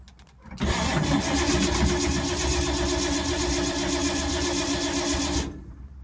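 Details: 1952 Ford, sat for months in rain, battery tiring after long cranking: about five seconds of steady, slightly uneven cranking at roughly four beats a second, never catches; cranks, won't fire, owner suspects no spark, points and condenser.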